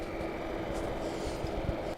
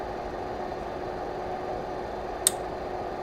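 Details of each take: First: Lavolta BPS-305 30V 5A bench power supply on power-up, mic moved closer: relays click, then a steady airy fan whir with a faint hum, a noisy cooling fan. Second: Lavolta BPS-305 30V 5A bench power supply, mic close: steady fan hum with a faint tone, then a sharp relay click as output passes 7.5, 15 or 20 V, switching among the transformer's four taps; normal.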